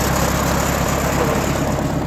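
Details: 1934 Allis-Chalmers M crawler old tractor petrol engine after fitting a new carburettor float, idling with steady even low chug, no misses or knocks; runs great.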